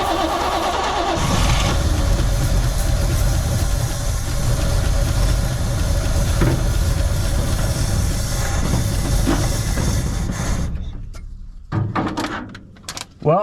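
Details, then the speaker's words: 1972 Chevrolet C20 pickup stored over 20 years, running on starting fluid: catches and runs roughly with an uneven, lumpy beat for about ten seconds, then sputters and dies, with a backfire afterwards. Fuel pump not yet supplying fuel suspected. "i mean we will say it it can run we'll keep going here we'll see if we can't get it to idle"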